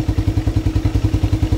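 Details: Motorcycle single with Aracer Mini X ECU, TCI driver and Power Up, idle RPM setting being raised and lowered from phone app: even low thumping about eight beats a second, settling into normal low idle.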